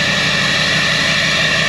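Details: 2009 Chevrolet Silverado 3500 diesel with a new 4-inch exhaust mistakenly fitted without a muffler, near-cold start after being plugged in: loud, raspy, steady idle with a harsh hiss and fast, even, undamped pulses.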